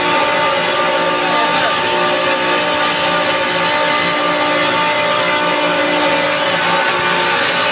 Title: chiller checking abnormal sounds of compressor